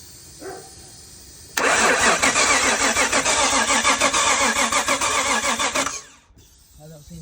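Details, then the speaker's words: Nissan Skyline R33, crank no start: engine cranks steadily about four seconds without firing; fuel pressure confirmed at the regulator after fuel pump wiring repair, but injectors still not squirting, cause unconfirmed (owner wonders about the regulator). "don't seem to be doing anything, does it? So yeah, it's still the injectors that aren't squirting."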